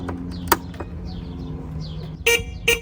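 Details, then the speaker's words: Moped revived after five years unused, with a carburetor installed and a new battery: two short horn blasts sound as the key is turned with the engine off; the horn triggers unexpectedly, cause unclear, and the ignition button sticks. "gonna turn the key what the it's a horn stuck [Music] okay so the horn works"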